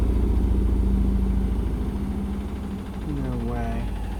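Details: Indesit BWE101683 washing machine in high spin on a spin-and-drain after a 1000 rpm push-and-wash cycle: heavy low rumble pounding about three times a second, then the drum slows and winds down. The spin is unbalanced, which the owner attributes to the uneven floor underneath.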